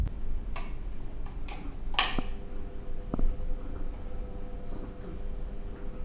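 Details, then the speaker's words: Noisy ceiling fan running before WD-40 treatment: scattered dry ticks and clicks over a low motor hum; mechanical tick, source not confirmed. "Oke Guys itulah bunyi kipas filling yang agak bising sok mengganggu kita punya pendengarannya"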